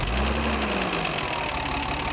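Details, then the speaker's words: BMW 325i E30, M20 engine, cold idle after valve clearances set to manufacturer values: quick light tappet ticking, louder than when clearances were smaller; owner finds it strange and may redo the adjustment. "ouais maintenant on est bien mais je trouve que le clic est pas mal"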